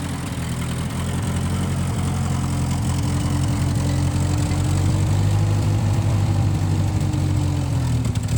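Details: 1955 Massey Ferguson MF65 tractor, run after sitting with carb cleaned, Marvel Schebler carburetor possibly needing adjustment; steady low even drone with no misses or knocks; running cleanly.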